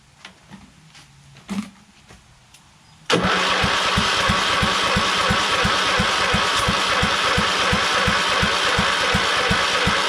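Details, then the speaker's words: Craftsman LT2000 lawn tractor repowered from a Kohler Courage to a Command engine, on a start attempt with choke on, fuel and oil in. A weak, dying battery gives a slow, sluggish crank, and the engine never fires: slow crank, no start. "oh okay it won't start and uh batteries kind of dying so i need to recharge and uh didn't even have any signs of starting huh but the battery did seem kind of slow though"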